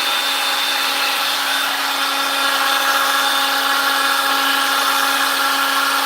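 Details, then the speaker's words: Milwaukee M18 brushless saw, found in terrible condition, running after repair: clean, steady high-pitched motor hum with no dips, rattles or grinding; repair successful, normal running. "yeah we've got a fix guys we've got a fix so that's one down"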